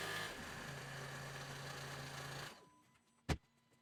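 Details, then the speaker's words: VW T6 Transporter diesel after fuel filter replacement and priming the low-pressure pump: steady, even idle with a smooth low rumble, no knocks or misses, shuts off cleanly; runs fine, no leaks. "Right, that's her all run up and no issues."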